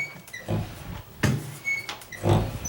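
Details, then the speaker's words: Condo interior door swinging: short high-pitched squeaks with soft thuds between, from a dry hinge squeaking between its knuckles, not rubbing the wood; grease on the hinge stops it. "that's because in between the knuckles somewhere it's it's doing that it's not hitting the wood or anything"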